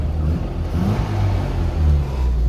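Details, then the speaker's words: Restored classic Austin Mini, just passed its MOT: small four-cylinder revving up and down smoothly with a clean, even note and no knocks or rattles; healthy running engine. "turn it off for now yeah it's running great absolutely fantastic it goes really well"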